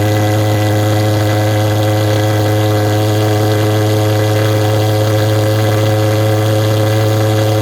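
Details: Vectorfog H100SF gasoline pulse jet thermal fogger on VP Racing canned fuel, started by holding the start button 8–10 seconds, solution tank shut: loud, dead-steady low buzzing drone with even overtones, no pops or misses; firing cleanly, normal running.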